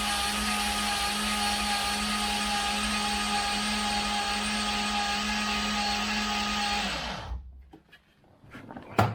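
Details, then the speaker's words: Freshly rebuilt turbo engine (forged pistons and rods, 10.3:1 compression) cranked with fuel pump fuse pulled to prime oil, about 7 quarts in; even steady starter whine for about seven seconds, no firing; normal cranking without start. "Yeah, should not start. Well, it can't start. We'll see here if I can crank up and see some oil pressure."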